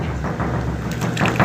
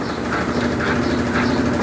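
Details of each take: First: Brastemp BWG 11 kg washing machine during spin: heavy irregular thumps over low drone, severe shaking; hose knocking on cabinet was padded but noise remained, drum basket unbalanced and needs repair. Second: Brastemp BWG 11 kg washing machine, reassembled after repair, spinning empty without clothes: steady even hum with no knocking or banging against the cabinet; normal spin, expected quieter when loaded.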